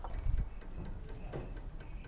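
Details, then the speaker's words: Volvo V70 ABS brake control module, front-left inlet valve activated with a scan tool: crisp, even clicking about four times a second. All valves click except the front-right one, whose caliper gets no fluid. Normal ABS valve clicking. "so that was that module or that inlet valve clicking all of these work all these eight valves here work"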